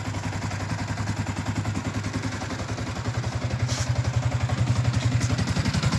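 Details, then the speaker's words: Yamaha Y16ZR single-cylinder motorcycle engine after overhaul, revving through the midrange: runs smooth but a slight clatter remains around 2,000–3,000 rpm; owner earlier had 6th-gear teeth and bearing problems; abnormal noise at mid rpm. "Dia ada sangkut dekat RPM 2 ke 3 ni, dia masih ada bunyi Yang lain semua ni okey, mantap. Dia semakin okey, tapi dia still ada macam bunyi lagi sikit."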